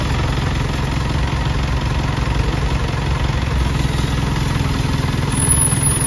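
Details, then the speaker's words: PTO on a selfloader truck after repair, pump reinstalled: steady, even engine drone with no whine, growl or knocking; PTO now runs quietly, whereas before it was noisy even when switched off. "Gag mga kayag so wala na siyang ingay mga ka kayab naririnig niyo naman y kayab"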